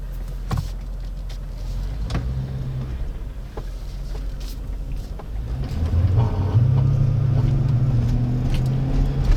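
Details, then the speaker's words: 1999-2006 GM full-size Yukon pulling away slowly from a stop, 5 to 15 mph, TCS disabled: low throbbing grumble pulsing about three per second, rising with road speed, no indicators; first symptom of wheel bearing/TCS fault. "right away did you guys hear that weird low pulsing noise no indicators tripped or anything but you heard the immediate sort of low grumbling that was the first symptom I started experiencing before anything else happened"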